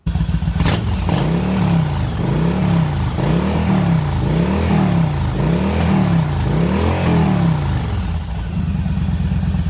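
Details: Yamaha V-Star 1100 V-twin after carb rebuild, valve adjustment, cable and wiring harness repairs and reassembly: blipped up and back down about every second and a half, pulling clean with an even rumble and no misses; sounds healthy.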